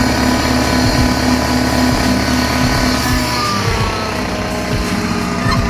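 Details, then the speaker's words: Mercedes W202 after installing stainless steel headers: steady idle with a quick, fairly even tick on the exhaust note, about three per second; an exhaust leak at the header gasket is suspected, possibly cracked, and the pipe still needs shortening. "Kind of still hear it. Sounds almost like I have an exhaust leak, like there's almost like the gasket is fucking cracked."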